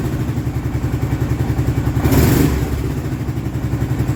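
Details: Kawasaki Prairie 650 ATV engine after rebuild, just started and warming up with fresh coolant: steady, even single-cylinder thump at idle, no rattling or clicking heard before; running cleanly.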